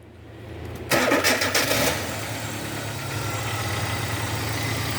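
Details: 2002 Hyundai XD (Elantra) petrol engine after replacing spark plugs and plug wires in correct firing order to fix a cylinder 1 misfire: cranks briefly, catches cleanly, settles into smooth even idle.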